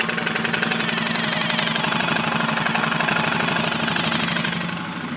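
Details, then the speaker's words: 2005 Suzuki King Quad 700 ATV, warm, blue exhaust smoke, microphone near the motor; steady idle with a hard, regular metallic knock every revolution; engine knock, owner suspects lower end. "it's knocking the motors knocking I can't tell whether it's coming from the top end of the lower end to me it seems more the lower end that it's knocking"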